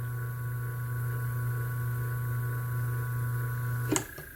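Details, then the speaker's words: Single-phase motor run with a larger-than-specified run capacitor instead of its original 25: barely starts, current stays high, loud droning hum wavering with mains oscillation, then clicks off; oversized capacitor makes the motor hum, original runs smoothly. "Mas olha o barulho dele, fica dando aquele barulho da oscilação da rede elétrica, fica roncando."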